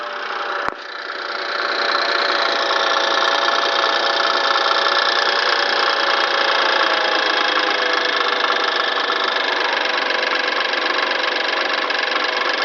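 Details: BMW N20 petrol engine, 2013 (63 plate), 6K miles, cold start: a click, then a fast metallic rattle about twice per second over the rising idle; owner wonders if turbo wastegate flaps, source unknown.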